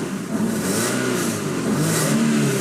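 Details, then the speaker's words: 1999 Toyota Altezza RS200 Z-Edition, supercharged with an aftermarket air filter feeding the supercharger, revved with the supercharger deactivated by its air-bypass switch: clean, smooth-climbing rev with steady intake roar, no whine or rattle; normal engine revving, supercharger not broken. "I'm so glad that the supercharger is not busted on it"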